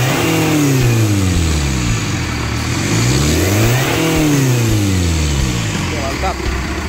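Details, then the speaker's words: 2008 Chevrolet Captiva diesel after full fuel and turbo path cleaning: diesel clatter climbs cleanly to 4000 rpm and falls back to steady idle, no smoke, misses or knocks; normal revving, all faults resolved. "4000 nah Rp 4000 tetap tidak berasap jadi Alhamdulillah semua kasusnya terselesaikan"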